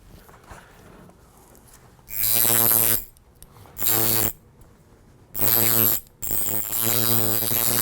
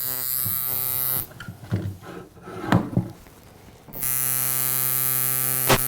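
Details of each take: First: Coil tattoo machine, after trimming the spring still attached to the armature bar, converting a fast soft shader to a harder, slower color packer: short bursts of steady electric buzz, still about 114, with more force; runs properly. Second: Coil tattoo machine shader with a stiff front spring and added O-ring, measured at 130 cycles: fast, even buzz, too fast for a shader and in liner territory.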